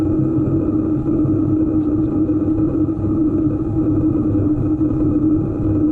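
A steady, even low-pitched hum holds throughout over a soft running rumble; the source of the hum isn't clear from sound alone.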